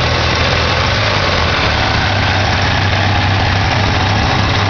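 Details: 1987 Ford Ranger 2.3L four-cylinder started after sitting a while: low, uneven idle with a lumpy, wavering beat and no other noise; rough idle, owner suspects the carburetor needs rebuilding or tuning.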